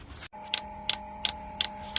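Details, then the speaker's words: Diesel heater installed in a school bus conversion: sharp even dosing-pump clicks about three a second over a steady hum. The pump is running dry because the fuel pickup is not reaching fuel in the tank. "okay well I hear it she's clicking she's trying to get some fuel just my luck it's just not reaching in the tank"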